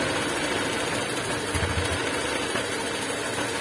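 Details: Honda Vario 150 scooter with a rear-wheel growling complaint: soft even idle hum with no growl from the rear wheel; normal running.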